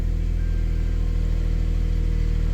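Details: 2001 Subaru Outback first start after new serpentine belt, idler pulley and tensioner, charging 14.4 V (battery was 10.7 V): steady even idle, smooth low hum, no squeal, chirp or knock from belt; normal idle.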